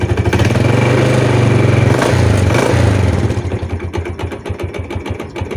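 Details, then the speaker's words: Yamaha Jupiter Z (Burhan) / Vega R New motorcycle, right-side knock: revving drowns the tapping, rapid knock about four per second returns at idle, reduced but not gone; suspected loose clutch plates, primary or secondary clutch; engine also smokes. "Oke teman-teman jadi itu tadi ya suaranya dia ada ketukan itu keras banget teman-teman ya saat Dikas juga agak berkurang cuma tetap aja bunyi ya"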